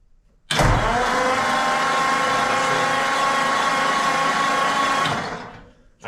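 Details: 1940 Ford flathead engine, sitting since the late 1970s, right exhaust manifold off, fluid in the cylinders, cranked by jumping the solenoid: an even starter churn of about four turns a second; the engine spins freely but never fires. Cranking, no start.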